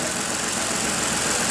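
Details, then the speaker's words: 2014 Ford Explorer 3.5L after repair of a bank 2 camshaft correlation (P0019) and random misfire, cover refitted and restarted: steady, even idle with a smooth, unbroken tone, no stumbles or skips; sounds good, misfire gone. "Let's fire this thing off. Sounds good."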